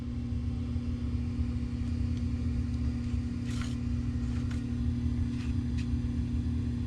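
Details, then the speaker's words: Coleman DGAA056BDTA furnace after combustion blower motor replacement, burner lit: the circulation blower kicks in with an even, steady low drone and no rattle or squeal, running normally. "there goes the blower boy it's going to turn that off but yeah there you go that's it"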